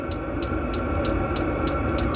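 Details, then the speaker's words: Diesel parking heater in its first minutes after remote start, output air at 116 degrees and rising, heard outside near its small exhaust: crisp ticks about three a second over a soft hum. This is normal fuel-pump metering, which stops and resumes. "Questo ticchettio comunque dopo un po' smette, quando c'è sufficiente gasolio nel motore smette e poi riprende dopo un po'."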